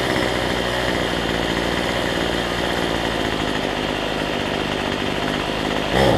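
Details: Cheap weedeater (number 3 of 4) after fitting a replacement Chinese carburetor kit: small two-stroke buzzes at steady high speed, even unbroken note, no misfire or surging; running healthy after carb swap.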